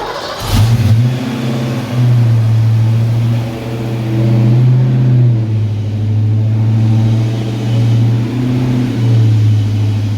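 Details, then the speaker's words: 1986 Ford Mustang speed-density V8 with mild cam, new Trick Flow heads, vacuum leaks fixed, new fuel parts, shorty stainless headers, unstarted for hours: quick crank then deep even idle with slight surging while warming up; healthy. "but we'll crank her up so you can see what it sounds like it probably is going to surge just a little bit until it warms up because it hasn't been cranked and you know a few hours"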